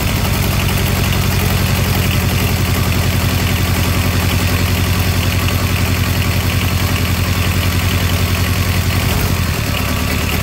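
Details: Diesel engine of a Comfort Pro truck auxiliary power unit, glow-plug started, throttle set lower: low, even chug at steady slow idle, firing pulses regular with no misses or knocks; runs well.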